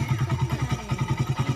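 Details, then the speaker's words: Suzuki Satria FU 150 cc single at idle after a wrong cam chain (timing chain) fit by another shop left it rough, weak and thirsty; cam chain re-fitted with correct timing and shims, now a smooth, even idle with no knocks or misses. "yeting simnya nggak kita kasih tahu, pada intinya aja tadi udah dikasih tahu ukurannya 15 sampai 25 20, pokoknya maksimalnya jangan sampai 30, biasanya hanya ukuran 10 ke atas ya, dari 10 ke atas lah pokoknya. Sim-simnya ukuran simnya X-in hanya seperti itu, dan ini kondisinya udah halus ya lur."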